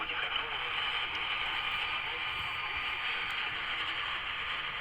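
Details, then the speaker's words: ATS200 multiband radio tuned to a weak station received via a docked mag loop antenna: raising the telescopic antenna brings a steady hiss and hash that drowns the station; lowering it restores reception. "it's so you can hear that noise now from the telescopic so put the telescopic bed down and it's okay"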